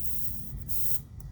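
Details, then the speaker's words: Airbrush air valve with only the hose attached, compressor on, valve pressed: hiss comes in uneven spurts with a hesitation and small thump partway through travel, full flow only when fully depressed; cause not yet found. Intermittent air flow hesitation. "But it seems like there's a pause. There's air, and when I give it a little more pressure, it kind of hesitates. Air, hesitation, and then all the way down I get air."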